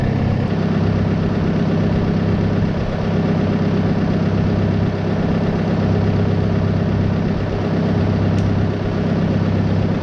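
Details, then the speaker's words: Bent sprayer PTO drive pulley, knocked out of true by force and heat during bearing and seal replacement, rubbing on its bracket as the tractor idles: a steady light rubbing knock, as the owner suspected. "it's just a little bit out of whack right now so it may end up hitting just a little bit on that bracket"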